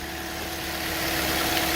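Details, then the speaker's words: 2013 Toyota Corolla 1.8 16V flex with CNG, idling smoothly with no belt noise after the alternator's seized fixed pulley was replaced, which had caused a noise on acceleration and release. "nova nov marcha lenta barulho nenhum instalou agora"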